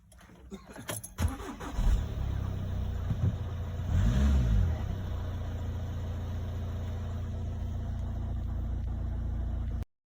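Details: 2018 VW Touran 2.0 TDI 190 hp start after a relay fix (VAG 4H0951253A) following a no-start with dash warning lights and a good battery. Brief crank, catch and flare, then a steady even diesel idle; normal start.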